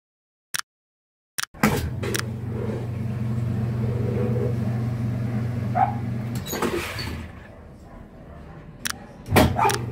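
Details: Whirlpool washer motor hums steadily with a loose, ratchet-like rattle but neither washes nor spins; the motor couplers are worn and broken, and both were replaced.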